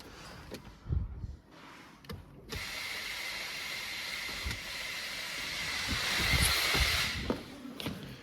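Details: Vehicle with code P2118 (throttle actuator range/performance), ignition on and engine stopped: a fast mechanical ratcheting buzz, about three clicks a second, from a failing throttle actuator.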